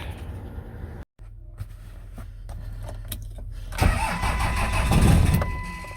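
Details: 5.9L 24-valve Cummins diesel on one old battery and a booster charger: quiet, then slow labouring cranking about 3.5 beats a second builds without catching. Long cranking, no start.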